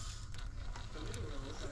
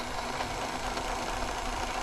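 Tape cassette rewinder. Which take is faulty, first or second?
first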